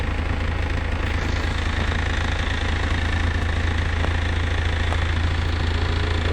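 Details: Car engine idling after the owner fixed a hard-start fault (starter/electrical suspected): smooth, constant idle with a firm low note and an even beat; normal idle after repair.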